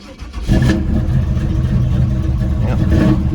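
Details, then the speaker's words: Carbureted El Camino, gas pumped before starting, battery voltage reading a little low from a loose positive cable: catches after a short crank, deep rumble swelling with two throttle blips; starts and revs cleanly. "but let me show you how it starts up. Really good. Carbureted, so pack the gas a little bit."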